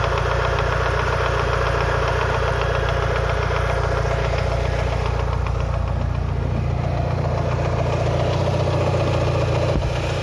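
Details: Lancer Evolution VI 4G63T idling during warm-up at 75-80°C oil temp; a regular light knock about 220 per minute, top-end, loudest near cylinder 1 and worse after a track day; lash adjusters cleaned and bled without improvement; rod knock or lifters suspected.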